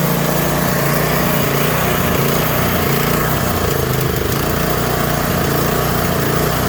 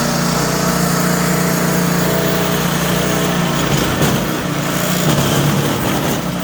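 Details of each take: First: Troy-Bilt Squall 210 snow blower (model 31A-2M5E711), sat with fuel in it, starts then dies or surges: runs rough and unsteady, only staying on full choke; bad fuel or gummed carburetor. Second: Troy-Bilt Squall 210 snow blower (model 31A-2M5E711) that wouldn't start and surged after sitting with ethanol fuel, after carburetor cleaning; steady, even run with no surging or hunting; normal running.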